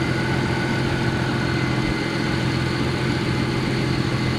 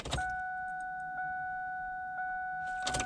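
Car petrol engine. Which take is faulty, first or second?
second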